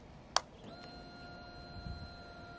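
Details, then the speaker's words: Wrecked Honda CBR600F4i being rebuilt, diagnosed for an engine stop relay or tip-over sensor fault: with the bike upright, a click at key-on, then a thin steady fuel pump whine for about two seconds that cuts off. Laid sideways, the pump does not run. Normal fuel pump priming. "yeah but you can also hear the fuel pump priming to a Trinitron weight only"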